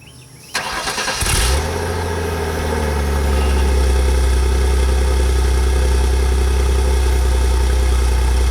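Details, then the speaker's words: Engine starts and settles to idle with a light metallic buzz about four rattles a second on the exhaust note: a loose bracket at the tailpipe bend in front of the muffler making a rickety rackety sound, later repaired with J B Weld high-heat epoxy. "I got a bracket right in front right there, and this got it's done come loose. I don't know if you can see it right there. It's right in the back, and it's making that rickety rackety sound that you hear."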